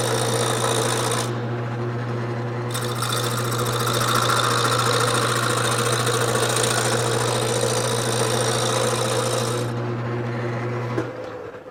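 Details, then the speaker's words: Wood lathe turning an off-centre, out-of-round blank while the corners are knocked off: steady motor hum under rapid, uneven chatter, about three to four hits a second, as the tool catches the corners. Intermittent knocking from the workpiece. "when I start I want to start in slowly till I hear it and once I hear it I want to drag it across evenly not letting it bounce around"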